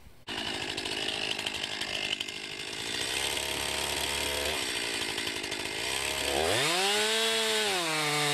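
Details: 2020 Stihl MS261, non-M-Tronic carbureted, 20-inch bar, cutting oak: high steady two-stroke scream holds in the cut, revs climb smoothly as the bar clears; handles the oak well, normal cutting under load.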